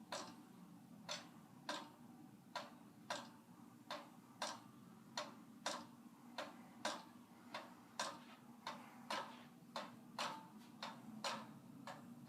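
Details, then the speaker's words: 44-inch Monte Carlo Designer Supreme II ceiling fan in a hotel room. It makes a sharp tick just under once a second over a faint hum and is very noisy, cause unknown. "it is very noisy like it's got some issues I guess with I don't know what it is"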